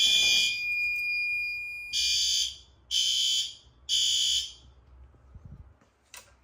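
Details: Fire alarm test in a house and garage during November testing: a long opening tone, then three crisp high-pitched alarm blasts about a second apart; the alarm device sounds properly.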